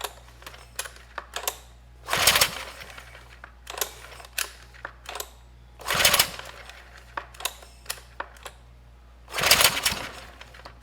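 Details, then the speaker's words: Sportsman GEN2200DFI 1800 W inverter generator (Yamaha MZ80 clone), starting fluid added, smoke escaping: three short rough cranking bursts, each dying without catching; leakdown from bad rings or a damaged cylinder is suspected. "nope it's not going to start it was trying we got one maybe two good kicks out of it but it just couldn't start"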